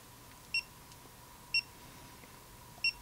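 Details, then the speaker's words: Hioki DT4256 multimeter measuring a capacitor in-circuit inside an amplifier; three short high chirps about a second apart over faint hum as it steps through ranges, reading 600 microfarads. Normal autorange chirps. "I like the way it chirps as it goes through the ranges."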